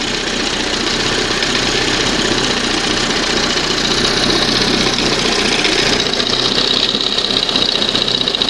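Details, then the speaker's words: 1971 Johnson 20 hp two-stroke outboard in a water test after fixing throttle linkage slop: burbling idle with an uneven stumbling beat, turned all the way down and barely hanging on; butterfly position slightly off. Rough idle. "If I try to bring it down idle all the way. Just barely hanging on."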